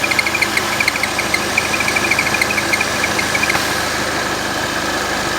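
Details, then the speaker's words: Citroën DS5/C4 turbo petrol at idle with failed crankcase breather valve atop valve cover: rapid ticking chirp, steady hiss, belt noise; opening the cap depressurizes it, stopping the blowing and belt noise. "tá vendo despressuriza Abri a tampa ele parou de assoprar e parou o barulho na correia"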